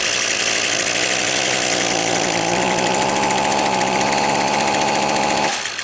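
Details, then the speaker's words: Two-stroke trimmer that won't rev: a steady, unusually quiet muffled idle that never climbs when throttled, then drops away; a plugged exhaust spark arrester screen is strongly suspected (a faulty ignition coil was the alternative suspect). "I ain't believing it. See how quiet that is? I'm going to try and throttle it up. I bet you it's got a plugged exhaust."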